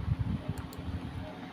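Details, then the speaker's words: Fujitsu fi-7460 A3 duplex scanner in multi-sheet mode: feed rollers make uneven clacking, paper only inches forward without feeding, then a J50 error; single-sheet scanning works fine; broken paper feed mechanism. "đó các bạn thấy không Nó kêu c cạch cạch nọ rồi nó không không quấn được giấy luôn giấy nó chỉ nhích Nhích nhích Nhích thôi chứ nó không quấn được"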